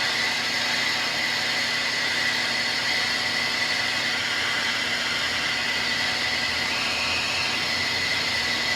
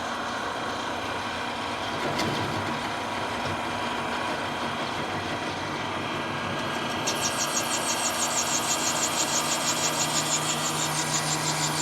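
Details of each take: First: Precision Matthews lathe turning down a hardened-steel GM 12-bolt axle bearing journal for C-clip eliminators at 250 rpm after chatter at 380: steady high squeal over hissy cutting noise, normal for hardened steel. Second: Lathe turning down a hardened-steel GM 12-bolt axle bearing journal for C-clip eliminators: steady hum breaks into a harsh, pulsing high-pitched buzz as the tool chatters; speed then dropped from 380 to 250 rpm to cure it.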